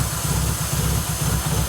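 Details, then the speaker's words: BA Falcon after a track/drift day: deep, uneven idle that lopes like big cams, also idling high and dropping cylinders; owner suspects a blown inlet manifold gasket vacuum leak, possibly throttle body. "gian's car sounds like it's got massive cams in it"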